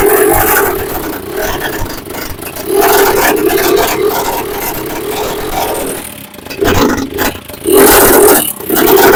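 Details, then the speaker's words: Long-parked TVS Apache 4V motorcycle, new plug, fuel and fuel pipe, runs loud and ragged, surging in uneven bursts with coarse clattery old-tractor sound, smoking heavily, starting with difficulty. "क्योंकि इसके engine भाई ऐसा आवाज कर रहा है जैसे दम ट्रैक्टर एक होता है ना पुराना खटारा था ट्रैक्टर ट्रैक्टर की आवाज सुने हो ट ऐसी आवाज आ रही है"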